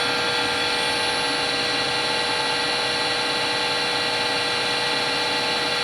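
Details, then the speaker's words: Harvey wood lathe after spindle bearing replacement at about 1600 RPM, measured 57 average versus 64 before: steady, even hum with a clean constant tone, no rumble, knock or grinding; spindle bearings running smooth. "Okay, that's a lot less. It's 57 average and it was 64 if I'm not mistaken the first time."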